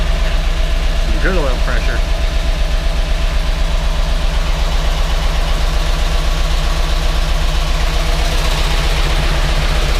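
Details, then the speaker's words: GMC Yukon Denali 6.2L LS V8 with DOD, first start after engine reassembly in cold weather with oil pressure present: quick, even ticking at about four per second over a rough idle; owner suspects unprimed hydraulic lifters. "I shut it off because it didn't sound great quite sure what's going on we had oil pressure now whether the lifters just don't have enough oil in them yet because the hydraulic it was who's making some noise"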